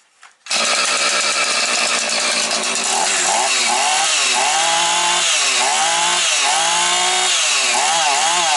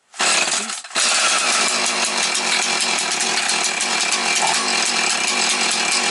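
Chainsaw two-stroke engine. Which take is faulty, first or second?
second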